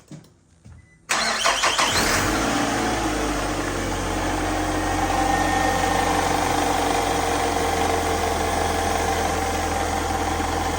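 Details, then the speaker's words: 2006 Nissan after a new serpentine belt and new tensioner were fitted: it cranks briefly, catches at once and settles into a smooth, steady idle with no belt chirp or squeal; repair successful. "new serpentine belt new tensioner how it's done boys"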